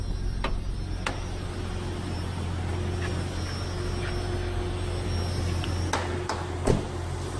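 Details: 1996 Jeep Cherokee Sport just after an oil change, cold, oil pressure about 40 psi; steady, even low drone with no knocks or ticks, a few stray clicks around; normal cold idle.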